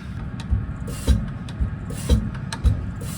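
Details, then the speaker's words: Injector number two from a Deutz 6.1L BF6L913C six-cylinder in a Case 170B excavator, on test bench: slow lever thumps with plain hiss, zero chatter, streaming instead of atomizing; opens a little below the 180 bar spec, fails. "that's injector number two zero chatter stream instead of atomization specification is 180 bar so a little low so also garbage"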